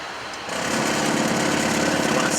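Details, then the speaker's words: Boeing 767-300ER cockpit, preflight stall warning test: loud, rapid, even stick-shaker rattle starts abruptly over cockpit hum while the control column pushes forward automatically; stall warning working normally. "The actual pusher, the the control column will actually push forward on its own automatically. I'm pushing those forward to what's called break the stall or regain air speed."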